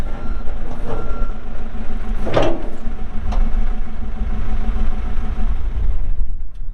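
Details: 2014 Kawasaki 65TMV D2 wheel loader, pre-emissions Isuzu diesel, 7,671 hours, working: steady diesel rumble under regular, evenly spaced backup beeps; engine and alarm sound normal.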